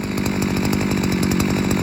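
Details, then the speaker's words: Cheap 42cc two-stroke 5-in-1 multi-tool strimmer, seven years old, only the spark plug replaced: crisp, even two-stroke buzz with a steady fast firing rhythm and no misses. A part with a missing bolt flops around, but it runs fine. "yeah it still runs pretty fine like i say that's not got a bolt in it anymore so it's flopped around all over the place but it doesn't bother me it's quite a loud machine so ear defenders are a must"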